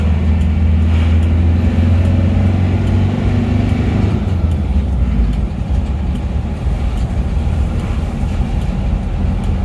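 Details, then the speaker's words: Isuzu Panther diesel after repair of a rattle at 2000 rpm and up: smooth, even drone under steady road rumble above 2000 rpm with no knocking, slight fan belt noise; normal running. "yuk kita dengarkan suara mesinnya lagi suaranya halus dan rata ini eyak-yak ini dari ban kipasnya Nah iya kan halus tidak masalah"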